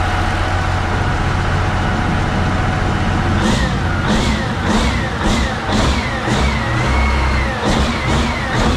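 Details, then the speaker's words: CAT 3412 twin-turbo diesel from a 992D wheel loader, warming to lukewarm: deep steady rumble with turbo whistle rising and falling as blipped, no knocks or misses; zero blow-by, healthy motor. "that's a sound of horsepower right there baby check that out zero Blow by that's a healthy motor right there"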